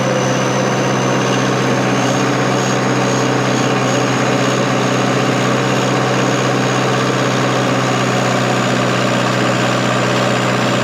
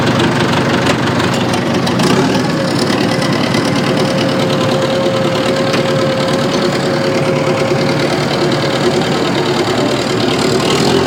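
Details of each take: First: Diesel bulldozer after valve cover work: steady, even low idle with no hunting or missing; runs great. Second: Old bulldozer diesel idling: uneven, lumpy beat with a steady knock-like stumble, running on three cylinders and lacking power in first gear; dead cylinder misfire.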